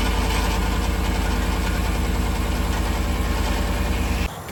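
Cold V8 idle with a steady low thump about three times a second, an exhaust rattle from a loose clamp.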